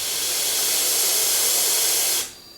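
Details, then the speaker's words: Salvaged DeVilbiss iFill oxygen-concentrator pressure booster (2000 PSI cylinder-refill pump): sharp two-second hiss as the piston makes one normal stroke from side 1, reaching almost 20 bar on the high-pressure side. "Yep, now the piston is here. It compressed this part, moved the air over there, and with one move we already have almost 20 bar on the high pressure side."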